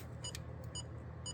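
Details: Power Probe tracer following charging-system wiring on a car that died from low battery while idling, with new battery and alternator: short high beeps in small bursts over a faint hum, beep changing along the wire; owner suspects a wiring short, unconfirmed.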